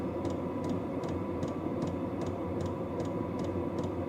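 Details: Vevor diesel heater, warm and running, outlet near 141–155 degrees: steady hum of the burner and fan with a crisp, even tick about every half second from the fuel pump; normal operation.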